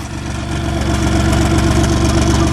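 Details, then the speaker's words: Car engine with no antifreeze, burning oil with heavy white smoke, idling with a steady low drone and recurring stumble; cylinder 5 misfire, engine described as pretty much toast. "You can hear it misfire. Cylinder 5 misfire. But yeah, this car is not running right."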